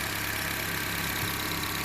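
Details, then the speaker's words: 2011 Honda CR-V 2.4L four-cylinder after intake plenum removal and new PCV valve and hose: steady, even, smooth idle with no misses, knocks or surges; the earlier shaking is gone. "Put everything back together. Start it right up. Runs nice and smooth. No more shaking."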